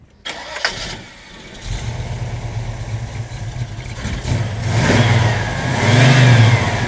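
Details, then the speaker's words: 1967 Chevrolet Chevelle Malibu Wagon, 350 V8 with four-barrel carb, headers, electronic ignition, Turbo 350 automatic: starts and settles into a steady, even lumpy idle with light blips, no knocks or misses; healthy-sounding normal start and idle. "you know sounds good it's healthy sounding and uh runs real good but it's a you know it's a cruiser"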